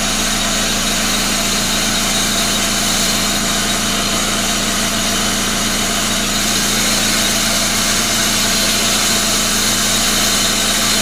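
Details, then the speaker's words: 1999 Pontiac Grand Am, rebuilt GM LD9 2.4 Quad 4, first start-up after rebuild: harsh gritty grinding over steady idle that does not let up, from the AC compressor clutch. "all right let's let's see if she'll fire up here so so so this other ac compressor clutch making some noise so"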